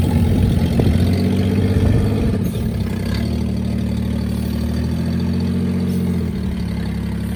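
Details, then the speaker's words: Daihatsu Hijet pickup, small multi-cylinder engine, first start after sitting in a barn about 6–7 years, started with a fresh battery: low, steady idle with even firing and no knocks or stumbles; runs fine, normal idle. "we finally got her out of the garage as you can hear she's running fine"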